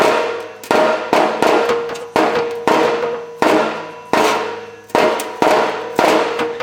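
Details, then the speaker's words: Old removed factory muffler from a 1998 Chevy S10 being shaken: uneven metallic clanks of loose internals rattling inside, the cause of the exhaust rattle; replaced with a new Walker muffler, which cured it. "you can hear there's a rattle inside that so I'm pretty sure that's that's the problem"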